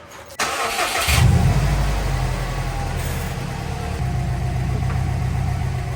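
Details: Subaru WRX, 173,000 miles, just after replacing the worn turbo with an OEM unit (IAG oil feed, AVCS lines) and burping the coolant: brief crank, clean catch, smooth steady idle with no misses.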